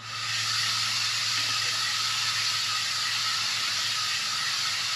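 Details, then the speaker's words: Centramatic wheel balancers just installed on a new Ram 5500 chassis cab to cure a vibration, wheel turning slowly on jack stands: a soft, steady hissing swish like a leaking tire. Normal balancer swishing. "It makes it sound like there's air leaking out of your tire, but I think the small amount of noise will be tolerable, especially if it makes o"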